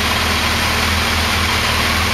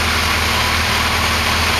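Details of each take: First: Kawasaki Concours ZG1000 four-cylinder at idle during carb synchronization: throttle on carb number one deliberately opened, so it shows less vacuum; uneven, lumpy beat with a wavering low note, running less cleanly because the carbs are out of sync. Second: Kawasaki Concours ZG1000 four-cylinder after carburettor synchronization: smooth, even hum with no lope or hunting, steady throughout; balanced carbs give a normal healthy idle.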